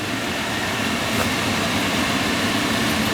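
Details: Field power venter, reported as noisy: it runs with a steady, even fan whir and no rattle, scrape or vibration; judged fine, bearings likely just never oiled, replacement not needed.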